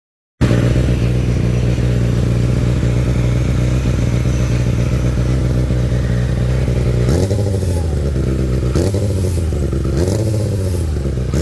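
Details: Kawasaki ZX6R motorcycle: even idle, then repeated throttle blips bring a rough, gritty rasp that rises with revs. Grinding noise when revving, cause unknown.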